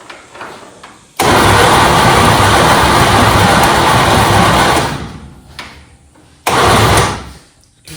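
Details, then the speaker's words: Junkyard 1969 Chevy C10 small-block on a jump wire: cranks hard for several seconds with even churning, then a short second crank, and never catches despite good spark. Cap later found loose. "We're getting spark. Good spark. It's weird. It's not even trying to bark off."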